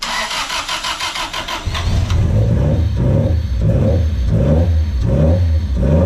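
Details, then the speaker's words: Honda D16Z6 freshly rebuilt for bad rings and smoking, day 2 of starting attempts with new distributor: quick cranking then lumpy idle surging about once a second, slight smoke, cutting out near 4K rpm, blamed on the wrong distributor. "But it was like trying to cut out at 4K again. Yeah, but that's because it doesn't have the right Dizzy on it."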